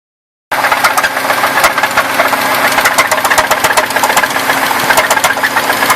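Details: 1994 Buick Park Avenue idling with a sharp, fairly quick knock about four a second that started suddenly weeks after purchase; owner suspects rod knock, unconfirmed.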